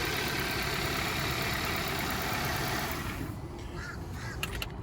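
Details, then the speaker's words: 2017 Hyundai Sonata at city auction, ignition switch pulled out so started with a screwdriver, no jump box needed; quiet even idle barely above outdoor background, no knocks or misses; very quiet, healthy engine. "Started up fine without even a jump box hooked up to it. Moving it forward and backward. Sounds really quiet."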